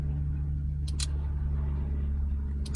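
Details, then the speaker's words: Classic Ferrari 308 under restoration, spare horn relay fitted with no horn-button wiring: moving the steering wheel gives sharp double clicks over a low hum, the relay triggered through a wired contact point in the steering column. "can you hear that? Listen to the relay. So I've obviously got wiring to a contact point in here."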